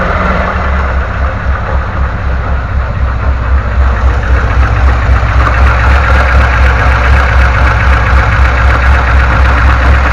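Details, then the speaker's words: VAZ 2106 petrol engine idling: steady knock about four per second from around the timing chain at the front of the engine. "а вот такой вот звук появился в районе цепи будем устранять"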